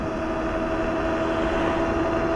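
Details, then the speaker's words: Globalkeep MA-S electric motorcycle (4000W peak) on aggressive knobby fat tires near a 30–35 top speed into a slight headwind. Steady droning tire hum that rises with speed; normal. "Faster you go, the louder that hum gets."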